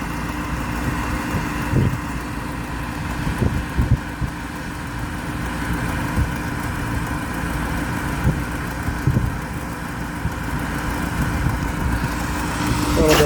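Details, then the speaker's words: York rooftop unit, being cycled for no-heat complaint: steady running hum with occasional irregular light rattles; something on the unit rattling, not the motor itself, ignition present. "it's something that's rattling on it it's not the motor itself"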